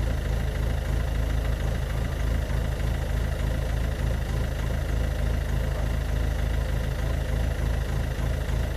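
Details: Ford Focus Mk2 1.6 TDCi 90 hp diesel with white smoke: heavy idle with a pronounced lumpy pulse about three beats a second; rough idle, cause unknown.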